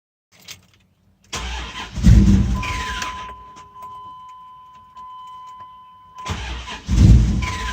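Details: 2002 Dodge Durango crank no-start: starter cranks twice for a couple of seconds with a tired spin and never catches; the battery was dead, killed by a parasitic draw from the 4x4 system plus weeks below -10°F.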